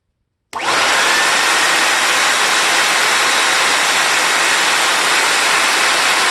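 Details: Compact TriStar C8 two-speed vacuum with replacement Ametek motor after bearing replacement, greasing and commutator polishing: spins up quickly then holds an even, steady rushing whine, no rattle or grind; normal, smooth-running motor.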